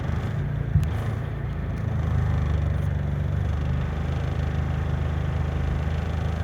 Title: Corolla misfire